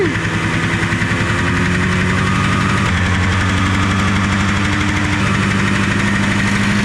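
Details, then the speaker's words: Derelict Arctic Cat two-stroke fired first pull with only the carb on and no fuel lines hooked up: buzzy fast idle, revs wandering slightly but firing steadily every stroke; surprisingly still running. "I don't know why it's still running. What the? That's impressive. There's no fuel lines or anything hooked up."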